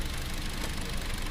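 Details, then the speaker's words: Hyundai Accent with rough, lumpy idle and a stumbling rhythm: cylinder 3 misfires because its coil gets no trigger from the ECU, whose power transistor driver was damaged by a shorted wiring harness; cylinders 2 and 4 fire normally. "No hay ninguna activación por ejemplo en el 4 que está de verde si la tenemos aquí está pero en la bobina 3 no tenemos ninguna activación"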